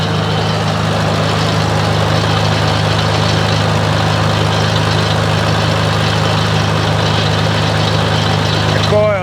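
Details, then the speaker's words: 1947 Farmall A tractor running under light PTO load after its carb jet was adjusted slightly, following a switch left on overnight that drained the battery and burned only the switch. Steady, even beat, no misfires: normal running. "Kind of sounds like I need to turn my jet up a little bit. All right. I get about right there. That sounds real good."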